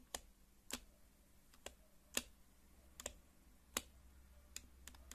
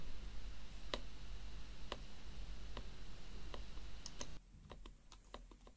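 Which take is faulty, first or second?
first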